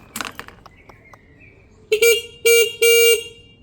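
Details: Peugeot Tweet scooter, horn tested after cleaning and rewiring: three clear steady toots around 450 Hz with a bright buzzy edge after faint handling clicks. Horn sounds strong and works properly.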